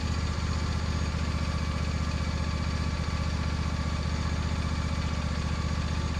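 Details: Lawn mower after winter storage, run on ethanol-free gas with freshly charged battery: small single lumpy idle, about three uneven beats a second, sputtering rich and smoking with the sticky choke still on; rough running with choke on.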